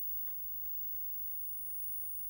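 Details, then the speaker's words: GEC dual-standard television, revived after years in storage, slowly powered up to 160 V: thin, steady, very high line whistle over a low hum, line timebase running normally, apparently in 405-line mode. "tevision there's a strong line whistle now at 160 vol T"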